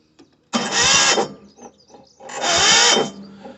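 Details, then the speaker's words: Mini digger diesel with the engine under the lifted seat will not start: two short, hissy cranking bursts about a second long never catch. A flat battery is suspected, with a jump planned to the starter motor live; slow crank, no start. "So it looks like it's just maybe just a flat battery."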